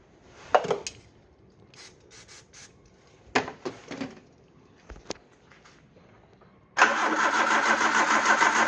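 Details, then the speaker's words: Peugeot 309 after fuel filter change, with a mechanical camshaft-driven fuel pump needing high crank speed and petrol poured down the carb: after clicks the starter cranks steadily but the engine never fires; low fuel and weak battery suspected. "Not having much luck here, are we? Different track tactic, pour a bit of petrol down the carb, see what that does. Not a lot."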